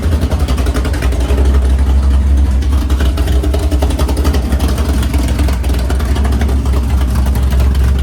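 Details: Freshly built 500ci big-block Mopar in a 1969 Barracuda, first start in the car: idle set around 1100 rpm, steady uneven big-cam pulse, smooth, no knocks or ticks; normal idle.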